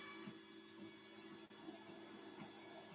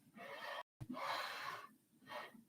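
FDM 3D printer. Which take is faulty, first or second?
first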